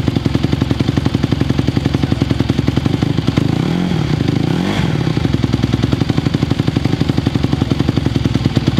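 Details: 2020 Honda CRF150R four-stroke single dirt bike, long-sitting, started from cold after adjustments, choke off: crisp, regular idle popping with a quick clean rev and return, no stumble; throttle response now good though still a little cold.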